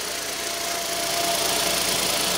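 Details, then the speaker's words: 2015 Hyundai i10 1.0 litre petrol after timing chain replacement, first start: even idle under hiss with a faint steady whine; the earlier shushing noise is gone or much reduced, no rattle. "that's yeah the shushing noise is gone the shushing noise has gone there is a little bit of a wine"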